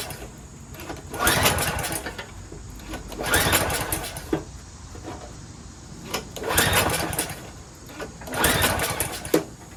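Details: Troy-Bilt 22-inch mower, 4HP Briggs Quantum, first start after fitting a part: engine swells and dies back about every two seconds, never settling; hunting from missing governor linkage, smoky muffler, owner suspects carburetor needs cleaning.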